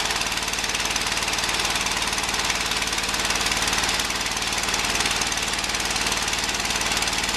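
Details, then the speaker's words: Early-1980s Ford LGT120 tractor, Kohler K301 12 hp single, new piston fitted; steady cranking about three beats per second, slow to fire even warm or cold; starts quicker on jump pack, owner suspects weak coil signal/spark. "I put the jump back on there it uh start a little quicker I'm thinking that's because maybe the signal to the coil wasn't as powerful it needed to be to throw a strong enough Spark"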